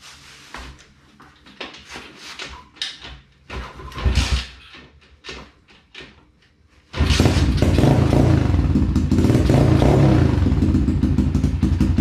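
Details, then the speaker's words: Apollo DBX-18 small single-cylinder dirt bike engine idling steadily after transmission gears replaced and cases split with new case, cylinder and head gaskets; the earlier rattle is gone, a good sign before a test ride. "Good sign. I don't hear the rattling that was going on before, so we'll strap up."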